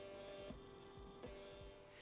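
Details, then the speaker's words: Stepper motor driven by an A4988 driver at 1/16 microstepping: steady electrical hum with a few high tones and soft pulses about twice a second; vibration sound changes from full and quarter step, normal microstep hum. "but finally I activate the 16 steps and look how the vibration sound changes"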